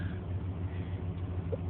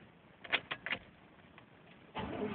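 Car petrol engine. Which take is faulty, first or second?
second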